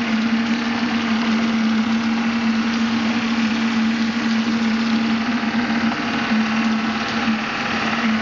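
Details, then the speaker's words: Maxitrak Graupner 5000 gas-fired steam engine driving a pond water pump, first firing, about two bar, condensate cleared from cylinders; steady mid-pitched hum with soft rapid exhaust chuffs, normal healthy running. "it's running about two bars condensates cleared from these little cylinders it's really flowing now"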